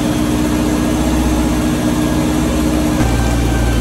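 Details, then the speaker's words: 1986 Chevy S10 Blazer 2.5L after checking vacuum lines, TPS, MAP sensor and cleaning the IAC to fix a runaway idle: the engine idles steadily and evenly with a low hum; much better, though not yet perfect. "it's idling normally oh holy crap"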